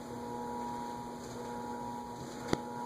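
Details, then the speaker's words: A&G Machinery "Toronado" ceiling fan with a CEC motor and 36-inch blades, on a solid state speed control set a little below 3 o'clock, drawing about 0.22 A: steady low buzz with a fixed hum under the whir. Motor buzz. "Okay, a little bit below 3 o'clock, and it starts. It's buzzy."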